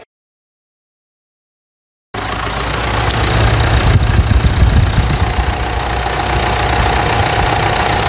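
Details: Mitsubishi Triton 3.2 diesel just after decarbonization, fuel tank cleaning, air filter cleaning and new oil and filters: quiet, then it fires and settles into an even idle with a regular clatter and no misses; healthy idle.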